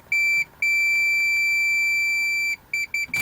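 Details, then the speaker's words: Zenith Model 6G601 vacuum tube radio power switch tested with a meter: a clear high steady beep for about two seconds, then short chirps, showing continuity, so the switch is good. "Oh, no. The switch is good."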